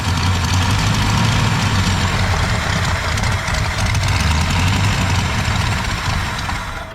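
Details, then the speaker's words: 1965 Ford Galaxie 500, not driven since at least 1986, started with choke partly closed: loping, uneven idle with irregular beats and slight stumble as it fades; running lean, carburetor (missing parts) needs rebuilding. "ain't getting enough gas cycling through there. Carburetor needs to be rebuilt."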